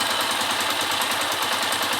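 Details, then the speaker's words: 2002–2003 KSZ motorcycle after replacing worn bearings, plus new top end and connecting rod work: fast, even buzzing idle with a steady hiss, no knocks or rattles, earlier noise gone; normal idle. "vamos funcionar aqui aí ó terminou o barulho"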